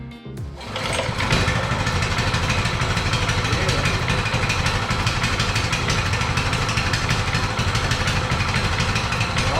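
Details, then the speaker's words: New Coleman 200cc mini bike, very first start in garage, fresh oil, choke on, fuel on: brief cranking, catches and settles into steady even choked idle with quick regular beat; healthy. "first first start ever just put oil in it let's see it got the choke choke is on fuel's on started on"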